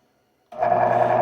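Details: Chicago Electric 6x36" belt sander with replacement single-phase capacitor-start/capacitor-run motor rewired to be reversible, running in opposite direction: motor spins up instantly to smooth, even hum with steady tone, no knocks or rattles; normal motor run.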